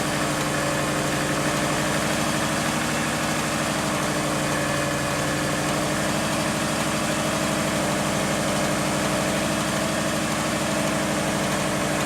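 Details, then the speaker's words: Subaru engine with refreshed top end (head gaskets, timing) but original, unrebuilt bottom end, steady idle: faint regular knock about three per second under exhaust pulses; owner suspects early rod knock, plans Lucas oil stabilizer. "But the engine has developed a knock."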